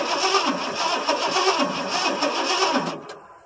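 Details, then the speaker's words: 1977 Ford F150 with a 460 V8, cold start after sitting with fuel poured into the carburetor: the starter churns evenly for about three seconds without firing. Owner is unsure whether it has no spark or is flooded. "all right crank it boy she don't seem like she wants to do anything"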